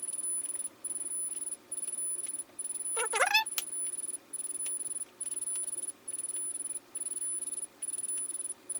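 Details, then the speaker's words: Sur-Ron Light Bee MX with KO Factory Spec controller during a throttle calibration attempt: high-pitched beep repeating steadily over and over instead of the expected short double beep; calibration not taking. "So in the video, the controller was only going beep beep. Not beep beep beep beep beep."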